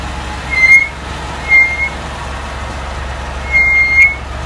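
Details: Ford Escape brakes, recorded over several days: a thin high squeal near two kilohertz in brief repeating bursts over a quiet background; brake squeal, cause not yet pinned down.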